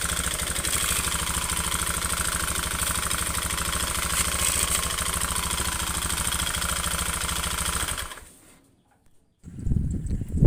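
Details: Honda Beat FI scooter often run with overdue oil changes: fast, harsh knocking rattle from the engine that gets rougher as the throttle opens, then the engine cuts out; fan cover loose but noise persists with it removed; piston replacement follows.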